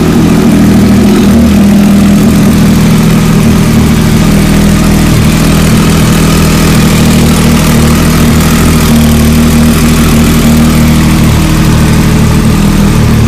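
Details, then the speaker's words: Triumph Daytona 675R motorcycle idling after an oil change, exhaust hose over the pipe: steady even idle with a smooth low hum and no knocks or misses; engine sounds healthy. "I'll turn the fan on start wrapping the key on yeah I started up"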